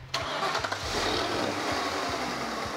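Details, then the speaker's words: Lincoln on the Panther platform, ticking engine: cranks and catches, then a steady dry whirring chatter over the idle from the idler/tensioner pulley, previously masked by the fan noise; pulley still to be repaired. "the fan was the fan was hiding the noise from the pulley that's just great"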